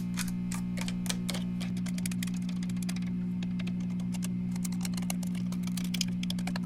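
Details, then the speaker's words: 1966 Fender Deluxe Reverb guitar amp with an intermittent hum: a steady low mains hum with light tapping clicks as the chassis is probed. Cause is a broken solder joint on the bias supply filter capacitor, leaving unfiltered half-wave rectifier ripple. "Here it is, a broken solder joint. This is the bias power supply filter capacitor. The hum that we are hearing is DC ripple produced by this half-wave rectifier circuit without a filter capacitor to smooth it out."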